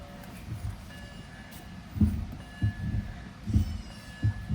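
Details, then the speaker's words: BMW E90 330xi, heard inside the quiet cabin: dull low thuds about every one and a half seconds, unevenly spaced; unidentified abnormal noise. "Not really sure what that noise is, but it don't sound very good."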